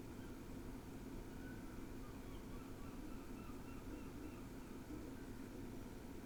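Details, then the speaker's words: NAS with SSDs under load, indexing media at 80–85% CPU and 32–33 W: a quiet, steady airy fan whoosh with a faint low hum and no ticking or grinding, normal. "uh the fan noise increased but really that was it listen for yourself"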